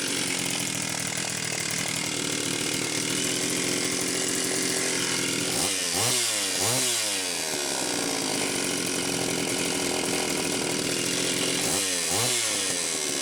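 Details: Homelite Super XL-925 chainsaw, first test run after a new piston and cylinder and a new seal (bearing found fine): screams at high revs, then blips down and up cleanly with a smooth, even note. Excellent compression; the smoke was assembly oil; it needs break-in idling.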